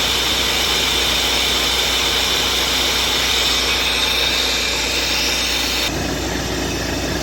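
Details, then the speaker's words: Volvo truck just disconnected at workshop, diesel idling: loud steady hiss with no pulse, air dryer leaking so pressure can't build; owner plans to strip it to check for dirt or failed parts. "இப்போ தான் வண்டியை disconnect பண்ணி விட்ருக்கேன். எங்கேயோ league sound கேட்குது."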